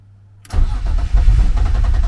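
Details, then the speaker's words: Turbo BMW E36 running lean, cleaned MAF, chilly about 40°F: starter cranks at a steady rhythm for a couple of seconds but the engine never fires; no fuel pump sound heard, owner suspects electrical problems. "so something is going on with this car that's not giving me nothing I don't hear my fuel pump"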